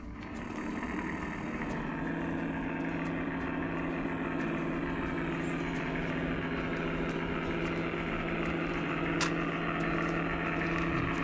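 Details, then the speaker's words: Older Accucraft Goose #2 after its broken drive gear was replaced and the motor and main shaft were oiled; smooth steady hum with a light, even gear tick about four per second, running cleanly and healthy. "All right, we've fired up goose number 2. Let's see what she'll do now."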